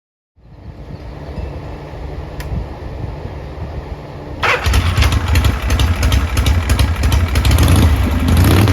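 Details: 1979 Harley-Davidson Shovelhead after replacing a bad starter clutch/Bendix that made intermittent noise; quiet lead-in, then the V-twin catches cleanly into a loud, lumpy but steady idle about three beats a second; normal start and idle.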